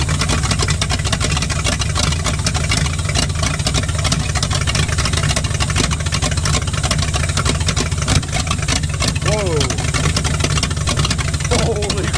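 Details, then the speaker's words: V8-swapped 1946 Dodge Deluxe, in snowy weather: loud, steady burble with a deep even low-end pulse, idling and revving cleanly with no misses or knocks; normal running. "crap all right well she's running that must have been the issue"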